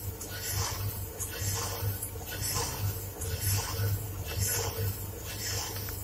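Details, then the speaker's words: Electrolux dryer making loud noise: rough, gritty grinding that swells about once a second as the drum turns, over a low hum, from a cracking worn drum bearing that needs replacement and could stop the drum and affect the belt. "ที่ฟังเสียงนะครับก็แน่นอนแล้วว่าลูกปืนมีปัญหาแล้วดูจากสภาพที่มองเห็นนี่ก็คือลูกปืนเนี่ยเริ่มแตกเริ่มแตกแล้วนะครับโต้องหามาเปลี่ยน"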